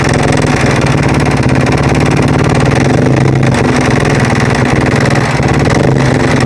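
Single runs at a steady idle with an uneven, rattly beat over the exhaust pulses; something sounds off, but the cause isn't clear.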